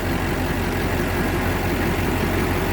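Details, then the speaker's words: Duramax LBZ diesel after head gasket replacement (owner blames LBZ tick on head gaskets), all 8 injectors replaced and eBay EGR delete pipe fitted: smooth, even idle with steady low rumble, no ticking or tapping; normal idle, tick gone. "Of the head gaskets, and ever since I did the head gaskets, all the ticks are gone. I'll start it up here in a second. And you can hear we're tick free."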